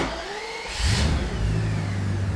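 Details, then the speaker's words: BMW E31 850i V12 (M73-type engine), restored after sitting since 2011, just refilled with 5W40 synthetic oil: short crank, quick catch, oil pressure light off immediately, smooth even idle with no rattle or knock; normal cold start and idle. "Oil pressure light immediately off. Sounds good."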